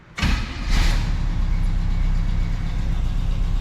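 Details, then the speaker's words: 1967 Camaro after 6 years of neglect, fuel line just replaced: lumpy, uneven low idle after startup, like running on about four cylinders. Carburetor idle circuit is dirty; lid to be pulled and cleaned. "So, the idle circuit's just dirty. Yeah, it idles on like four cylinders."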